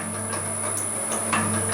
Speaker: So I run it at that speed and it's got enough power to crush them. Drop them through.